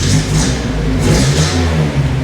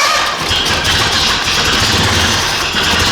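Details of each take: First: 1978 Datsun 620 truck after engine repair, timing gear pinned with a cut drill bit and timing slightly advanced: revs up and settles cleanly, no misfire, popping or rattle; charging light drops out above low rpm; runs well, staying cool. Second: 1978 Datsun 620 truck engine after repair, radiator cap off, with a leaking fuel line: loud uneven running, ragged stumbling firing and a harsh rasp, then it dies; ignition timing quite far off.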